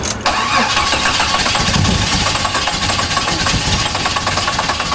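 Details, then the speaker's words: Jeep with new wiring harness and spark plugs cranking unevenly, catching a few ragged firings but never settling; distributor almost in line and needs turning a little. Ignition timing retarded, distributor misaligned. "Looks like an old amusement park ride. Oh my God. Well, that means it's like almost in line. I think I have to turn it. Turn it like a little bit."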